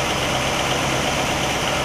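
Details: 1960 Pontiac Catalina 389 V8 idling smoothly and evenly with no misfire or stumble, Heathkit IO-20 ignition oscilloscope attached; all cylinders' primary and secondary patterns stack consistently and the ignition is spot on.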